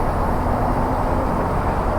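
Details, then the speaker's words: Honda CB500X motorcycle: faint thin whistle over the idle, apparently from the front lower engine, recent onset, disappears above idle; owner suspects LED headlight, unconfirmed. "I got to figure out what that whistling sound is can you hear that it sounds like it's coming from the front of the engine like down here somewhere"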